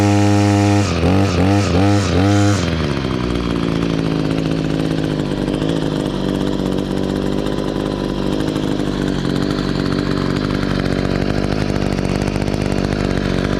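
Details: Echo SRM-266 two-stroke string trimmer after carburetor replacement and idle screw adjustment (it had kept bogging and shutting off): quick crisp throttle blips, then a steady, even buzz that holds without stalling or sagging.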